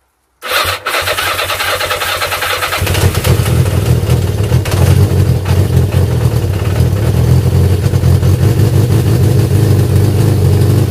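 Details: Yamaha XJ550 Maxim being restored, first start after carb rebuild with new diaphragms, carbs not yet set up and air box not connected: catches after a brief crank, then a steady, even idle with a low exhaust note, no knocking or misfire.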